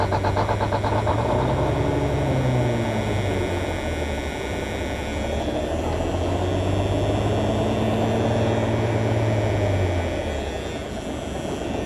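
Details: Peterbilt 352 cabover wrecker diesel, cold start on a very cold morning: uneven, stumbling chugging that slowly smooths as the cylinders catch. Oil pressure about 60 psi, charging about 10 A, no air pressure showing. Misfire on cold start.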